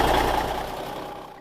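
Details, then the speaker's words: Cummins NHC250 diesel with a newly built pre-oiler on an already primed engine: pressure right away at cold start; brief, even diesel clatter fading out, no irregular knock; normal cold idle. "so there you have it it worked it actually worked really really well especially on a motor that already had been primed got pressure right away"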